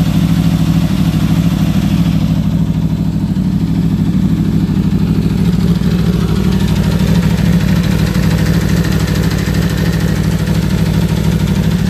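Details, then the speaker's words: 2015 Aprilia RSV4, 4600 miles, warmed-up V4 idling steady and even with light valve chatter; owner says this is the normal sound, no problems. "that's just natural sound from the v4 and from the Aprilia that we have so I just want to share my Aprilia sound just to prove that there's nothing wrong that's how it's supposed to sound"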